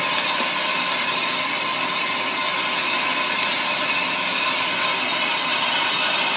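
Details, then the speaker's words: Ammco brake lathe machining a brake drum, about a quarter inch left to go: steady, even high-pitched hiss of the bit shaving the drum, no chatter; clean finish cut nearly done, chatter strap fitted. "okay you can tell by the sound NE brake drum is pretty much done so I'm going to go ahead and disengage my cutter head turn that lever off we'll power down the machine"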